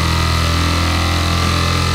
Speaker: her şey yolunda demektir. Bu ses yazıcının girdi şekillendirme ya da input shaping'i yapabilmesi için aldığı bir testtir.